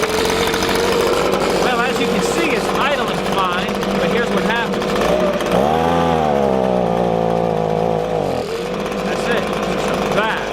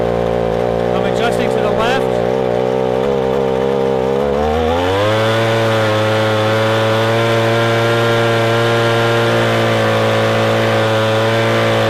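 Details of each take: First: Warmed-up Echo ES-250 leaf blower (same engine as PB-250) idles fine, but on throttle the two-stroke buzz drops and labours, making about half power, then recovers; a bog from a lean high-speed carburetor mixture. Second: Echo ES-250 leaf blower (same engine as PB-250), carburetor screw turned left while running wide open. It climbs from a rough note to a steady, clean high scream, showing the bog is fixed with strong full-throttle running.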